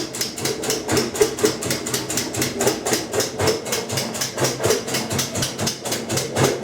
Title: Kenmore 90 Series Washer clicking sound in rinse cycle - Model 110.26902691